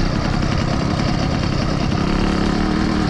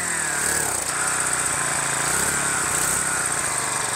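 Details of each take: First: Small two-stroke engine, a mini dirtbike or new 80cc motorized bike, on a quick check after the rebuild: a fast, even buzz with no misses or knocks. It runs cleanly and is doing really good so far. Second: Small two-stroke engine being fixed: a buzzy, uneven rev that dies back twice. It idles but needs choke above idle and runs well only when the intake port is covered by a finger. It is suspected of starving for fuel.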